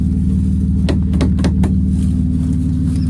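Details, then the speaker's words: BMW E36, long unused, started after fitting an eBay fuel pump to replace a failed one only months old: a steady, even low idle with a smooth rumble and no misses or knocks; normal idle. "wow it's funny what a good fuel pump would do to a car you can tell it's been sitting for ages smells a bit weird"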